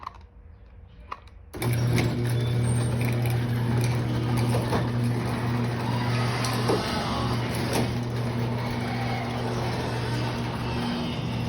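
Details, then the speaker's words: Chain garage door opener closing the door: steady motor hum with loose chain slap ticks at one point of travel. The door is very heavy when moved manually and slows down when closing; the down limit has not been adjusted yet. "when the garage door closes there's a chain swap on it when when it gets when the door gets at this point or around this point then the chain swap happens"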